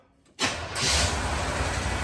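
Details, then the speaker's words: 1975 Chevrolet Caprice convertible, running 350 V8, gas tapped a couple of times before cranking: fires almost instantly and settles into a steady, even rumble; runs like a sewing machine, normal quick start. "Y'all see how quick that car cranked up? Yeah. Yeah, that sucker crank up, man. Run like a sewing machine."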